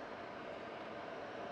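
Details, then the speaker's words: 10-year-old IQAir air purifier on medium, motor otherwise wearing out with squeaks: even, steady airy whoosh with no grinding or rattle; fan sounds fine on medium, slightly worse on high. "and on medium it sounds pretty good high problems still not bad but that's kind of uh common on these things"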